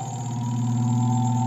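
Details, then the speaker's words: Spin dryer that would not run, repaired by fixing the broken part of the lid cover that connects to the switch: smooth, steady motor hum with a constant tone and no knocking or rubbing, spinning normally after the repair. "Yan naman po ay gumagana kung maririnig ninyo. Yan po."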